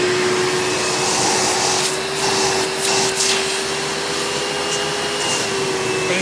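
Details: 1997 Hoover Dirt Finder Power Drive U6331-930 direct-air upright vacuum in tool mode with onboard hose: steady, even motor drone with constant airflow whistle, no rattles or surging; smoother than owner's red Power Drive Supreme, normal running.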